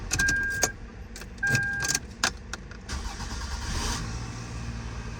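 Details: 2000 Toyota Camry 2.2L after starter replacement (the old starter gear kept spinning and the car sometimes failed to start): a short, clean crank with chime tones, then a steady run with no starter whine; normal start.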